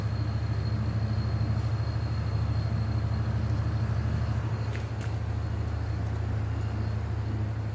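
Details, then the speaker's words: Vintage Ebco Oasis dehumidifier, fan blade reinstalled: steady low hum with a fast light flutter as the fan strikes loose tape, apparently from an earlier shroud repair, shaking the capillary tube. "So when we had to repair something on this thing or whatever, the shroud, tape I think got out and started hitting the fan."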